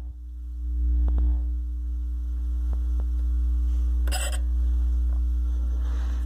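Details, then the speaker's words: Velodyne F-1200-B subwoofer after repair of the servo circuit that caused growing low-frequency oscillation: clean, deep, steady test tone with no pumping or wandering rumble. Working properly. "yeah it's not oscillating that's good other than the signal I put in it see I can crank it up and you can see it hit its limiter it doesn't clip and it doesn't distort it just maxes out"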